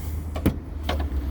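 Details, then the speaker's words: 2007 Ford Explorer tailgate power rear glass: steady low motor hum through travel, no grinding or clicking; glass working normally. "tailgate looks decent i don't see any rust or any issues under here and the glass does work as well"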